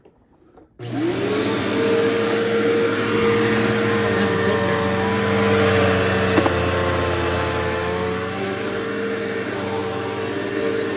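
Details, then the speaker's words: Bissell PowerForce bagless 6579-2 vacuum that sat out in the rain with water drained from it; motor spins up quickly to a steady, even hum with a clean, stable tone; normal running. "I'm kind of nervous you know to see if they sound bad or good but let's See's pretty good"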